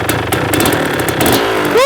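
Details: Rebuilt 1994 Kawasaki KX250 two-stroke, first start with no choke after priming three times: kicking, then it catches and revs cleanly into a crisp, rising buzz; a healthy first start beginning the first heat cycle.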